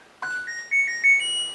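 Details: LG WT1101C/WT1201C washer after hard-reset firmware fix of continuously running drain pump: clean rising run of short electronic tones at power-on, no pump noise behind it; normal startup chime, pump no longer running.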